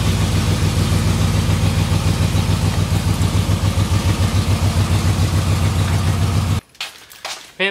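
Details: Camaro running. A deep, even exhaust rumble pulsing about three and a half beats a second with no knocks or misses: normal running.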